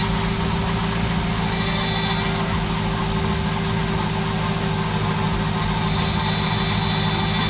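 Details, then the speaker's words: Aston Martin V8 Vantage at idle with a constant mid-pitched buzz from a failing PCV valve. "The easiest way to know if a PCV valve has gone bad is if it's buzzing. And it's easy to tell if it's the PCV valve that's buzzing because you can just press down on the top, put some pressure on it, and if it stops, you know that the PCV valve is making that noise and it needs to be replaced."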